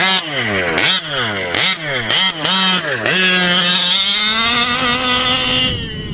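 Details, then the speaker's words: New OBR 34 reed-valve two-stroke engine in a 5B race-kit RC buggy with new Mad Max pipe, cold on a cool day: sharp blips then held high scream, blubbery and rich on top; fading as it warms up. "yeah you can hear it it's a little blubbery on top but i'll give it a minute to warm up if that doesn't go away then see it's already starting to go away it's just so cold"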